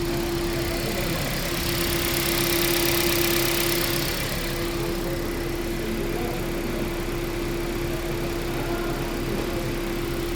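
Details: Toyota Prius repaired for heat warning, misfire and coolant loss, warm idle at 91° coolant, thermostat opened on time, coolant levels equal: steady even faint hum over light fan hiss, no miss or knock; healthy.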